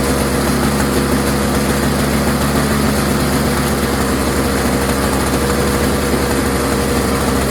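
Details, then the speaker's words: Toro CCR 3650 two-stroke snowblower, warm, sat unused for months with gas in it, no work done: steady, even buzz with no stumbles or dropouts; runs smoothly and sounds healthy. "Really cool. Sitting there for months. Started right up. Pretty reliable."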